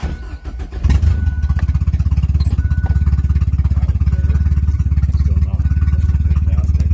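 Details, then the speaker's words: Mazda Probe on an untuned DIYPNP ECU, freezing cold start: it cranks, catches and settles into a low, even idle with no fast idle. The owner guesses it idles up only in another map region. "it's not idling it starts fine but it doesn't idle up until I'm guessing it gets out of a different part of the map and then that's when it idles up"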